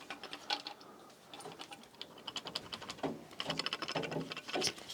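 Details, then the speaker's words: Removed failed circulation pump from a Navien NPE tankless water heater: loose, irregular ticks and light rattles as the pump is moved, broken internal parts rattling inside; pump is being replaced. "Yeah, so we can hear something's broken in there."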